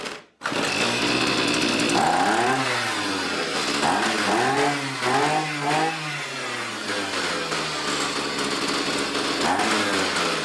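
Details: Neighbor's two-stroke weedeater that wouldn't fire up, reassembled, choke on and power on: catches right away, buzzes with a few uneven throttle blips, then holds a steady high run; starts and runs normally.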